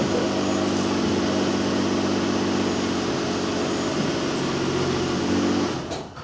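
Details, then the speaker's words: 2008 Ford Edge AWD at cruising speed: loud steady droning howl fading as car slows; first sounded like dry rear differential, fluids and bushings checked fine; owner suspects rear wheel hub bearings and plans to replace both, unconfirmed. "the problem is riding down the road has a lot of road noise at first it sounded to me like dry rear differential or some kind of howling noise like that"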